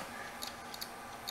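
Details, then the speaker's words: Dead HGST laptop hard drive, opened and powered in a caddy: faint irregular sharp ticks every few tenths of a second over a quiet hiss. Click of death; the heads can't read the platter, possibly from corrosion or fingerprints. "oh we have head movement irregular head movement that shouldn't be happening but at least the head ah click of death it's got the click of death"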